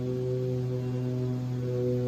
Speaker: that buzzing put a little more weight so you get this air hammer effect where there's too much flow through the gap and basically the thing is just oscillating up and down